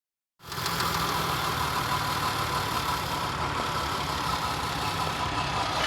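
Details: Toyota Kluger with a 1MZ engine at idle: a dull, fast knock rides under the engine note throughout. It began knocking within 100 km after an oil change; cause unknown, suspected bottom end.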